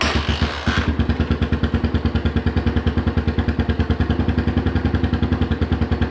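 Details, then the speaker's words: Cold 150 single-cylinder motorcycle with adjusted lifters, fresh fuel and a generic aftermarket carb: loping, slightly uneven thump around three beats a second; poor running, owner suspects the carb. "So, even with properly adjusted lifters, fresh fuel, and tinkering with the carb on the 150, I just can't get it to run well."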